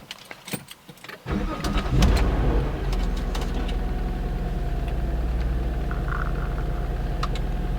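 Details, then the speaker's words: 2004 Nissan Maxima SE (6th gen), cold start heard with the windows down: the engine cranks and catches at once, then settles into a smooth, steady idle with no ticking or tapping and no check engine light. "so this is a cold start and uh i want you guys to hear so i'm gonna let the windows down just so you can hear it"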